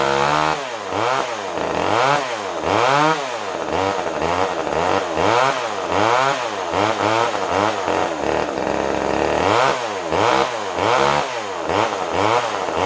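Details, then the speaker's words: Older Poulan 1800 Wood Shark chainsaw, no-start troubleshooting: revs surge and sag, never holding steady, dies when choke turned off; runs only on choke, owner suspects carb needs a kit as it draws too little fuel. "I'm going to think this thing is going to need a carb kit just by the way it's acting it's not really wanting to pull a lot of fuel"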